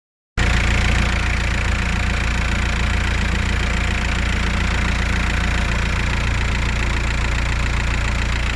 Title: Свист турбины